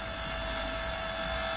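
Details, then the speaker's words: Sinclair Z50 amplifier module on a low-power test, unfiltered and bare-bones: constant high-pitched whine with hiss behind it. Suspected to come from the laptop's switch-mode PSU. Amplifier interference whine. "it sounds like it may be originating from the switch mode PSU the laptops running"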